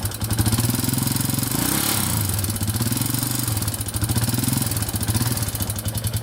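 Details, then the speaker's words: 2001 Yamaha Warrior 350 single-cylinder quad, bought with a bad engine knock, running after a short ride with a heavy, rapid top-end clatter over the exhaust beat; owner suspected the timing chain, and loose valve clearance was found. "all right so just took it for that little ride as you can hear it's knocking pretty bad um it does sound like it might be the timing chain i'm not 100 sure but uh we'll tear into it right now and try to figure that out"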